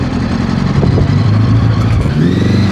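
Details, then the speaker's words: 1982 Honda Goldwing GL1100, barn-find engine moved onto a parts-bike frame, first run after fuel work: low, uneven burbling idle with a ragged, lumpy beat, as if missing on a cylinder or two; not running well, cause unknown. "It's not running amazing right now, but it's running."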